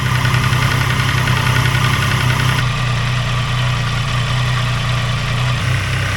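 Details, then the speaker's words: Triumph Tiger Sport 800, about 800 miles, after cam chain tensioner replacement, on the drive: steady cold idle with low even beat and only a faint top-end rattle; now similar to a second bike, engines considered inherently rattly. "think they're the same now. You think so? I don't think it's perfect, but like I say, I think these engines are quite rattly,"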